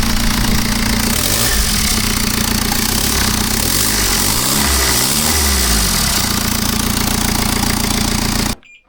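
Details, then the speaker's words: BMW F10 518d B47 diesel during turbo replacement: revving with a steady rushing hiss over the engine note, turbo hose clamp fitted incorrectly; boost leak. "What happened here was that the clamp was not on correctly, so you should make sure that you put the clamp on the same way as you took it off, because yeah, that's what caused the leak."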